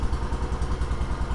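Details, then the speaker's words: 1971 John Deere 140 H3 hydrostatic garden tractor, choke used at start: small single-cylinder chugging at a steady, even beat with low thumping exhaust, no knocks, sounds like it has power; normal running. "sounds like she's got power"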